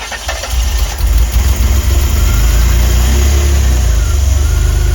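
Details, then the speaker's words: DeLorean DMC-12 with Bosch K-Jetronic injection, fuel pressure primed: short crank, then it catches and runs rough, nearly stalling and recovering in a repeating cycle that improves as it warms. Hard start from incorrect mixture. "Because of that, at least the mixture is close enough. It's able to start now. So, we'll give a listen almost to a stall. [Music] and then a recovery."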